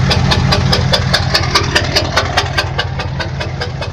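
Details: 6.5 diesel truck that started knocking on the way home from work: sharp, even knock about 146 times a minute over steady idle; owner suspects stuck injector or rod knock, source undetermined.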